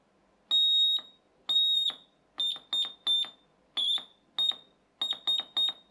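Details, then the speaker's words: Ein O's Morse code kit, components soldered together, with an added piezo transducer from a door alarm lowering the pitch: loud, clean beep near 4 kHz keyed in short and long bursts, clearly audible; original piezo too high-pitched to hear. "the original one does still work but I can't hear it if I unplug that some of you youngsters might be able to hear X is very high-pitched but if I put this in it drops the frequency and I can hear it"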